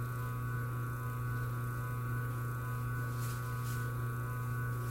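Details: A single-phase motor on its original 25 capacitor gives a smooth, constant low hum with no swelling or pulsing, unlike the groaning it makes with an oversized capacitor; normal running.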